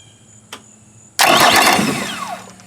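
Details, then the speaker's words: 2008 Yamaha outboard, roughly 400–600 hours, after replacing the starter relay that caused click-no-start: one faint click, then fires first try, revs briefly and settles; normal start, relay was the problem. "Right away. Start a relay was the problem."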